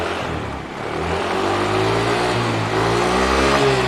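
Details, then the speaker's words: Carbureted Honda Beat scooter with DC ignition fitted with a Kawasaki CDI, magnet pickup bump unchanged: small engine revs cleanly with a smooth rising buzz, no stumbles or misfires, runs normally. "Jadi tanpa merubah apapun, tanpa merubah tonjolan pada magnet, motor ini bisa nyala dengan normal."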